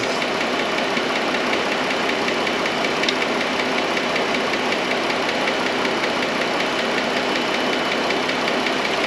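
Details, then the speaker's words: 2013 Chrysler Town and Country, Pentastar 3.6 V6 at idle: light, fast ticking over the engine hum, louder toward the front of the valve cover; suspected noisy valve lifter. "definitely louder up towards the front so what i think we're looking at is a lifter"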